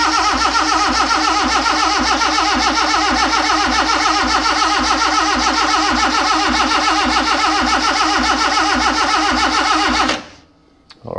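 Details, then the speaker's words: Freshly rebuilt Morris Minor engine, no oil pressure yet, spark confirmed on all cylinders, distributor turned while cranking: steady starter churn about 3–4 beats a second for ten seconds, no firing; cranks but won't start, timing suspected. "right so there's nothing there so I haven't exactly done anything since the last time it doesn't even sound like it's going to want to start"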